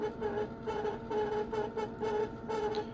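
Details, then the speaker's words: 1984 Kaypro 4 portable computer, unused for nearly 30 years, floppy drive reading a disk; humming whir with rhythmic scraping bursts as the drive struggles and grinds; owner suspects the drives need taking apart and lubricating. "Whoa. Yeah, that's a floppy drive that is struggling mightily. But that's okay. Well, I'm going to let it just grind away for a bit, but I'm thinking this isn't going to work too well until I get the drives apart and lubricate them."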